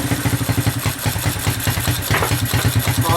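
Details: Honda 200SX field find on carburetor with pressurized external gas tank, choke on, idled down, in neutral, rear wheels up: quick fairly even putter, no misses, knocks or surging; normal smooth idle, sounds really good.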